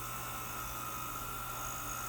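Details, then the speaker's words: Old heat gun, possibly from the 1970s, warming up to loosen a hard plastic fuel line on a John Deere 210: steady high blower whine with a hiss of air; fan sounds weak and struggling, heats slowly; cause not confirmed. "sounds like the fans struggling to me this thing's got to be old like from the 70s or something"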